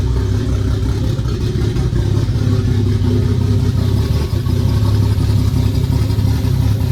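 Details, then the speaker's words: Nissan S14 with new RB25DET head just after first startup, downpipe-only exhaust, coolant not yet filled: deep steady rumble at even speed, no knocking or misfire stumble; normal running after first start. "yeah before I run it too much I'm going to fill up the water so so the water pumps lubricated and yeah I'm excited I can't believe it started"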